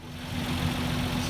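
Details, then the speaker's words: Old truck with a 12-volt conversion, its charging system restored with no new parts, now idling at 13.5 volts. A steady, even low rumble with no misses, knocks or squeals. The engine runs well and the battery is charging. "13.5 volts at idle excellent looks like we've got a truck that is now charging its own battery which means we can drive on down the road a little bit later on"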